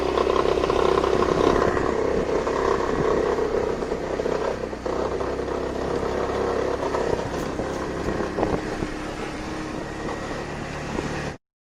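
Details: Brand-new Kymco X-Town 300i scooter with 500 km accelerating with a loose, uneven rattle over its steady drone; fixed by disconnecting a power capacitor cord behind the cooler's plastic cover, which was withholding electric energy under load.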